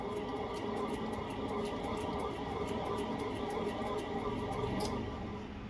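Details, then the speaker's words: 2010 VW Jetta 2.5 rear wheel bearing, hub turned by hand: low rough growl with faint ticking each turn, nothing rubbing; in driving a whoom-whoom rising with speed into the cabin. Worn rear wheel bearing. "See how it's noisy? That's the same noise that goes through the cabin."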